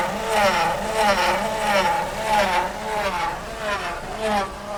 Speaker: А почему происходит такой эффект? Из-за наличия воздуха в жидкости гидроусилителя.